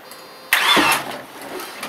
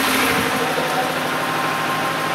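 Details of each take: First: Car battery rejuvenated from 0.75 volts, car with rear brakes seemingly locked: short starter whirr turning the engine over, nothing catches; cranks but won't start. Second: Car started after a battery discharged to 0.75 V was revived by charge/discharge cycles; rear brakes seemed locked: engine caught and runs at a steady, even idle with a smooth rumble and no knocks or misses, little smoke.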